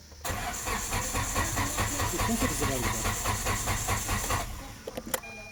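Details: Car: steady even starter cranking about two to three turns per second for four seconds, no catch; cranks but won't start, immobiliser suspected.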